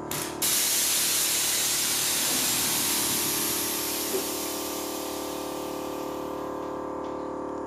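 A strong, steady hiss of air dumping that slowly fades as the front settles: the air ride valve is venting normally.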